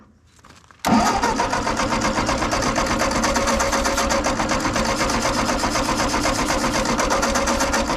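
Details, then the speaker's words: Ford 8N tractor that won't restart after shutdown, carburetor leaking fuel: starter churns steadily about four beats a second with no firing; cranks but won't start, suspected spark loss while cranking, not confirmed. "soon as as you shut it off and go to restart it then it won't start"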